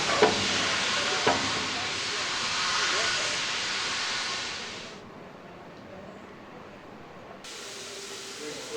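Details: Steam locomotive Repton No 926 on the NYMR moving under its own steam after overhaul, 28 July 2017; strong steady hiss of escaping steam that falls away and returns, sounding healthy and working normally.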